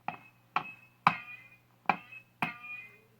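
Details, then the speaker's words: Zenith Z402Y AC/battery tube radio with 1.5 V filament tubes: five light taps each give a bright ringing tone decaying over half a second, a microphonic tube; some feedback blamed on mechanical coupling between speaker and chassis. "I mean these tubes are very susceptible to micro phonics heard that one"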